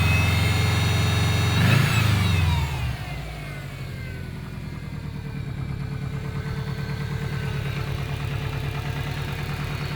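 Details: Subaru Impreza WRX GC8, EJ20G turbo boxer, starting and settling into idle with an even, regular knock. Driven this way for three years; others blame forged pistons, the owner suspects a connecting rod. Cause unconfirmed.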